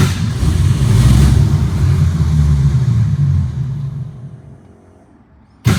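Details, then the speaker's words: 1962 Ford Falcon with carburetor and manual choke set half on, electric fuel pump: catches on a hand-primed bowl, revs sag and fade within seconds and it dies once that fuel is used; pump not priming, fuel starvation stall. "Ay, this baby has no gas in her. It's not priming."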